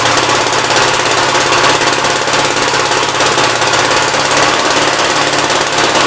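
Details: 1957 SR Gravely single-cylinder after top-end rebuild with 15-over rings: fast, even putter with sharp crackly exhaust bark, no misses. Idles decently and no longer smokes heavily as before the rebuild; normal idle.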